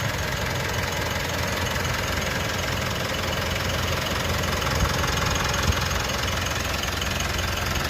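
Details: Mitsubishi All New Pajero Sport 4N15 diesel: steady idle with even, light clatter and no heavy knock or hunting; normal idle.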